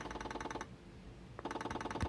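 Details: 1982 Muraphone vintage cordless phone (1.6–1.7 MHz) pulse dialing: crisp evenly spaced click trains with short pauses between digits; dialing works normally.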